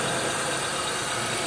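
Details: 2002 Buick LeSabre, first start after replacing upper intake plenum, lower intake and valve cover gaskets, EGR chimney, thermostat, PCV valve and coolant elbows; old leaked oil burning off exhaust manifold; steady even idle, no tapping, misfire or hunting: normal idle.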